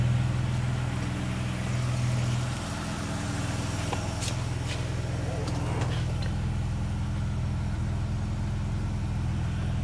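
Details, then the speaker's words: 1954 Armstrong Siddeley Sapphire 346 just after its first start on new points, cleaned carbs and a reconditioned starter: a smooth, even low idle with steady firing and no knocks or misses. It is running very nice and clean. "it's alive running very nice and clean too"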